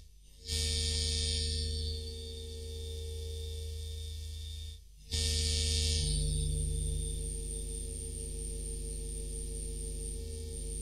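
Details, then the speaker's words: Studio speakers after swapping in a new audio interface to replace a first-gen 18i20: a steady low hum with a buzzy whine and crackle that changes with mouse and computer activity. USB ground loop noise, fixed by a USB isolator. "if you don't know what interferences are it's a lot of noise crackling even when you move your mouse on the computer um you can hear that in the speakers"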